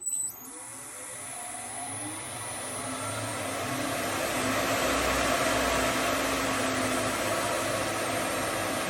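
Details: Lathe-mounted MK2 threading jig router cutting a 16 TPI thread in beech at about 3000 rpm: the motor winds up to a steady high-pitched whir and holds an even speed, smooth with no chatter, running normally.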